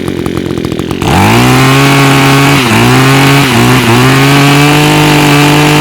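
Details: Echo tool with Zama carburetor after removing and cleaning the jet: rough start then steady even high buzz holding speed; running well, earlier smoking from raw fuel now stopped.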